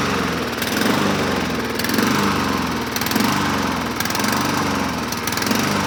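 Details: 2007 Honda HRR2162SDA mower after freeing a stuck-open intake valve (zero compression) and cleaning the crusty carburetor, started on choke: single-cylinder hums steadily with gentle rise and fall about once a second; runs evenly and healthy.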